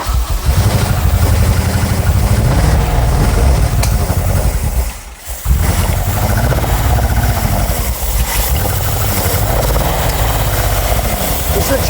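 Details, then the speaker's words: 1970s Aston Martin V8 barn find, first start after priming carbs with fuel pump on, leaking a bit: loud lumpy sputtering and popping, nearly dying then catching; likely fuel starvation, not confirmed. "it's obviously spluttering and popping cuz it's probably not delivering as much fuel as it wants given we know it's thirst"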